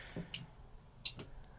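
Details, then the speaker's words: Starter relay on a turbo Pinto with rear-mounted battery and newly wired main power switch: with main power on, pressing the starter button gives two sharp, crisp relay clicks in a quiet room; normal starter relay click. "drop the main power and without grounding anything out i'm going to push this and you'll hear this relay click hopefully you heard that"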